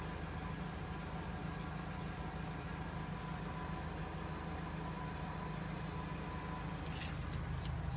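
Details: 1980 Toyota Pickup 20R four-cylinder started right after an oil change with about 4 quarts added: smooth, steady low idle with even beat, no ticking or stumbling; idles healthy.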